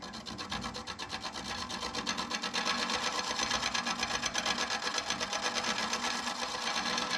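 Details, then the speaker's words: Lathe turning an apple burl hollow form in reverse at about 500 rpm, scraping lightly to remove tear-out. Raspy scraping with steady clunk chatter, about three a second, as the tool hits uneven burl wood; surface smoother afterwards. "I'm just listening to it. When I hear it not going clunk, clunk, clunk, then I know, then I think I'll have it scraped out pretty good."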